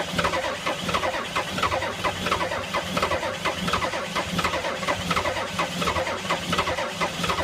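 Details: 1985 Ford F250 6.9 IDI naturally aspirated diesel at -34: slow, labored starter churning at about one and a half turns a second, never catching. Cranks but won't start in extreme cold.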